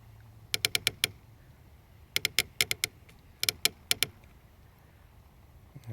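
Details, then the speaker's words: H2Pro-Ped drive, left upper bearing assembly: sharp dry creaks in bursts of four or five, one burst per push sideways toward the inside or lift; the bearing itself is smooth and the housing screws are tight. The assembly shifts in its housing under pedaling load; the opposite side doesn't creak. "so when I push down in sideways towards the inside the bearing creaks lift up it creaks down up down up down up down up it's coming from right here"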